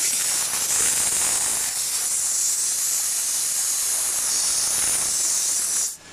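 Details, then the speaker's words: Mercedes Actros truck AC overcharged with about two vehicles' worth of refrigerant; gauges read too high after sitting off 2 hours. Loud steady high-pitched hiss for about six seconds, then a sharp cut-off, as excess refrigerant is released. "अभी भी represent की quality ज्यादा है और थोड़ी सी release करते हैं"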